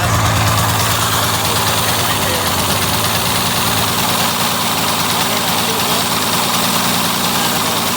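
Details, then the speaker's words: 2002 Yamaha SX Viper snowmobile two-stroke leaking clear (unmixed) gas from the front of the engine while running, repeatedly running out of fuel: busy, rattly idle with an uneven, hunting beat, sounds close to starving; rough running, cause unknown. "It would start up. Run. Sounds like it's gonna starve"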